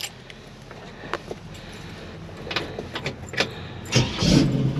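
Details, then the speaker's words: 1968 Chevrolet Camaro, four-barrel carburetor, about 44,135 miles, engine and transmission under 10K miles: brief cranking, then a warm restart catching straight away into a steady idle; normal warm start. "starts right back up"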